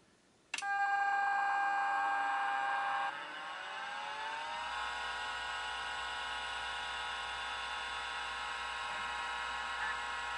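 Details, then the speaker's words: Macintosh 512K internal MFM hard drive, power cycled again after first spin without seeking: sharp power-on click, whine climbs and settles to steady hum, head seek sound now heard; normal spin-up (owner notes stepper motors can freeze over time). "that's a bit more normal I heard ahead seek sound it didn't make that sound"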